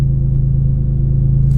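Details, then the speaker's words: BMW E46 M3 after cleaning, in hot weather: starts first try after priming, deep even idle holding steady with no hunting or surging; normal idle. "normally what happens when it's the first cold start of the day it just won't crank the first time and then as far as idling it's steady"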